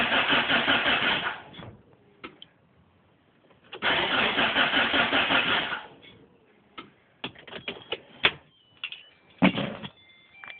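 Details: Mitsubishi Lancer Evolution with a new battery: two bursts of rapid, even starter cranking of about two seconds each, engine never catches or fires; crank no start, cause unknown.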